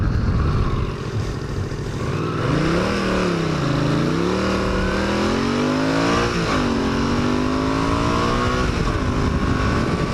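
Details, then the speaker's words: 1981 Honda CX500 motorcycle on an 8-mile commute, about 54°F morning, helmet microphone: pulling away from a stop the note rises slowly, flattens and dips over wind noise; bogs just off idle, no low-end throttle. "You hear that bog? Just off that stop, it's just it needs to get fixed."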